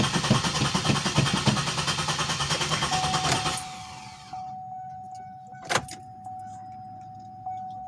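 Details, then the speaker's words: 2007 Pontiac Grand Prix that hasn't started in about a week, tried after adding 5 gallons of 91: the starter churns steadily for about three seconds and the engine never fires. Owner suspects a fuel level switch or wiring fault. Crank, no start. "let's see if she fires up she hasn't started in like about a week now"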